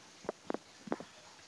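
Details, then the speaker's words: Polytron refrigerator that still won't freeze despite a replaced capillary tube and a new overload and PTC: irregular soft bubbling gurgles from the evaporator, three or four within two seconds; refrigerant low from a leaking condenser. "Kemudian suara ini kerucuk-kerucuk. Kemarin sudah datang lagi orang ganti overload dan PTC. Tetap saja seperti ini."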